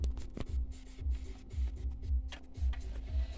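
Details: Chaika 144A sewing machine after repair (motor remounted), stitching silk: soft even low thumps about twice a second, no clacks or skips; normal stitching with no skipped stitches or puckering.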